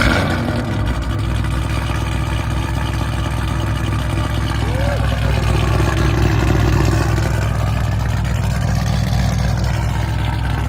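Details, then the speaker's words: Mustang V8 back after a split in the exhaust that had caused a ticking sound was repaired: a deep, steady burble at idle and on revs, with no tick left. "the crazy part is hear that no ticking there's no ticking no more ticking no ticking man"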